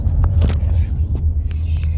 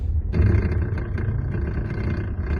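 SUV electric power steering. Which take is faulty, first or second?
second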